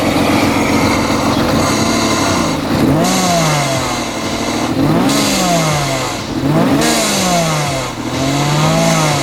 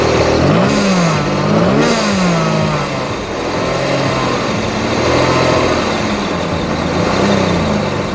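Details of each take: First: Supercharged BMW M50B20 in a Toyota Corolla drift car, new diverter/bypass valve fitted, free-spinning pulley, one coil pack unplugged so running on five cylinders; rough uneven blips with airy release on throttle close: misfire, bypass valve venting. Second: Supercharged BMW M50B20 in a Toyota Corolla T18 drift car, just fitted with B28 injectors: engine blips and settles cleanly with no misfire or rattle, running rich at idle; normal running.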